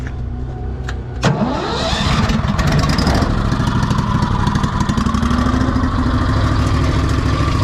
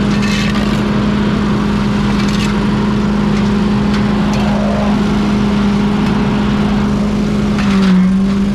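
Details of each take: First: Pink Walker gas mower leaf loader after sucking soaked wet grass: the engine starts to a steady roar, but the blower note is thin and unloaded. The impeller isn't spinning and suction is weak, suspected clog in the tube, to be taken apart. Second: Pink Walker mower leaf loader restarted after being unclogged and reassembled on a cold (~34°F) day: constant low hum over the engine, no knocks, rattles or scraping. The blower is running normally.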